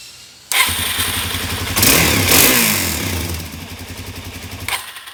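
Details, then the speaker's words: 2017 Suzuki DR-Z400S stored with fuel left in the carb, suspected carburetion fault; carb primed before starting. It catches first try, idles unevenly with a ragged surge and dies after about four seconds. Fuel screw adjustment planned. Stumbling idle after start. "i just don't get this why are one to die when you crank it"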